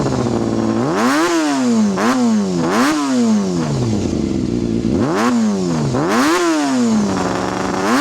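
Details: Honda CBR250RR MC22 four-cylinder, cold start after a no-start (suspected fouled plugs, blocked carby, rusty tank): repeated throttle blips snap up and fall back cleanly without hesitation; still a bit cold but running really nice.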